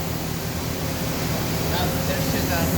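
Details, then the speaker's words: 2002 Okuma Space Turn LB-300M live-tool CNC turning center (20 HP spindle motor, 4500 rpm max) with the spindle at 2,000 rpm: a steady, even hum and airy rush with no vibration, throb or whine. Normal, healthy spindle run. "2,000 no problem sounds good no vibration perfect"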